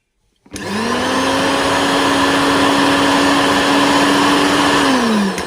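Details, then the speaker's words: Koryo mixer grinder after repair for loud noise and overload tripping: smooth, steady motor whine at one pitch, no rattle or grinding, winding down evenly; runs clean. "तो दोस्तों देखा आपने mixer को चालू करने पर कोई भी आवाज नहीं आ रही है। इसका मतलब यह मिक्सर अच्छी तरह से बन चुका है।"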